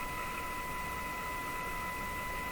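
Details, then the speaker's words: Moffat Crosley G2465 five-tube radio during IF alignment at 475 with a signal generator, after the last two paper capacitors were replaced and the B-minus lead was moved off the chassis: steady clean tone over light hiss, no warble or buzz. "that sounds a lot better okay that that was probably the problem here with what I was doing"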